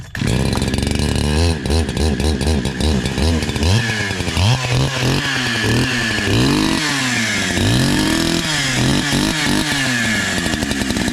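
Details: NEO-TEC NH872 71cc chainsaw, Husqvarna 372 XP clone, 28-inch bar, after carburetor tuning: crisp two-stroke snarl revving cleanly up and down with throttle, no bogging; running well.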